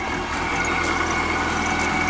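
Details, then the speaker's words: PT Cruiser on first startup with a brand-new battery, likely no coolant, cam gears possibly loose with a sheared pin affecting timing: idles with a steady high squeal from a squeaky belt and a slightly uneven beat; owner hears a bad misfire. "There she goes. And you can hear it's misfiring. It's misfiring pretty bad now."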